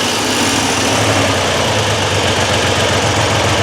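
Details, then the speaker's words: Triumph Trident T160 triple after a relay mod feeding the Boyer ignition a full 12 V instead of 8–10 V: fires and holds a steady, even idle with no misfire; left carb idle circuit slightly suspect, but running normally. "so here's all working such and dragging and we'll need generally bedding in uh it's all good"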